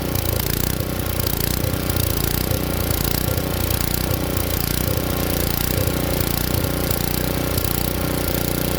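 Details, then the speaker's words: Tecumseh engine swapped onto Ariens Jet rototiller, choke off: small single runs rough and uneven, speed rising and sagging, only runs on partial choke; hunting from lean main jet, not enough fuel flow. "buretor hunts like that it's usually because it's not getting enough gas flow so what I'm going to do now now is I'm going to start it up show you how it hunts"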